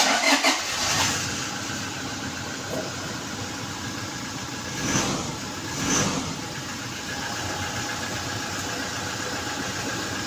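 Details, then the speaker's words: Toyota Hilux 2GD diesel, push start, after brake switch fix and clearing P0504: starter catches within half a second, steady even idle with no knocks or misses, no fault codes while running. Normal start and idle. "So everything right now is working perfect."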